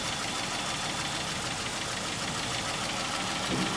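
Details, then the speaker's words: 2011 Dodge Charger 3.6 V6 idling with a light, fast metallic ticking. A stuck lifter, not lubricated because of bad oil and overdue oil changes, is suspected but not confirmed. "So, first concern and first customer concern is, as you hear, the engine is ticking. So that sounds like a lifter's in there."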